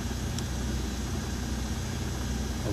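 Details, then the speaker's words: Daewoo Matiz after replacing the fuel pump coarse strainer and reseating the pump contacts: the pump now primes and the engine idles with a low, even drone and no stumbles. "Когда я включил зажигание, я услышал, что наконец-то сработал топливный насос, и всё заработало."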